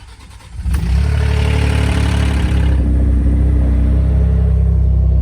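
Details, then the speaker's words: 2011 Ford F-150 3.5L EcoBoost V6 before pre-oiler install: cranks and catches with a brief metallic rattle over the first seconds of a cold start; Master Lube pre-oiler kit to be fitted to fix it. "So I'm going to start it up for you guys and let you hear the rattle before I do the install here and see if we can see a difference after."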